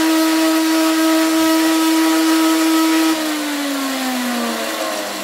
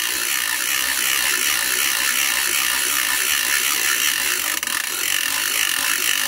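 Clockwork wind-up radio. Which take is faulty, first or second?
first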